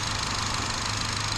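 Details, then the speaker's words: 2011 Chevy Cruze after fixing a massive vacuum leak from a leaking PCV valve built into the valve cover: smooth, steady idle with an even low thrum, no hiss or hunting, while the ECU relearns; running really smooth now; normal idle. "It's running really smooth now."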